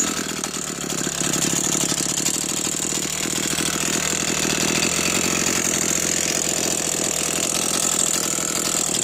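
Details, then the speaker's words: New Echo CS-490 chainsaw on its first tanks of gas, revving busily at idle with a light metallic rattle on the firing beat; rattle seems to come from one side, source not yet identified. "I going to see if y'all could hear that uh that rattling"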